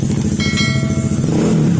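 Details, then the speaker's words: Honda ADV150 scooter idling after the engine repair and oil refill: a low, steady exhaust rumble with no ticking or knocking. The noise left is from the muffler only and the "tok" is gone; normal idle. "Nasa tambucho na yung ingay niya mga sir. Wala na yung wala na yung ingay na tok."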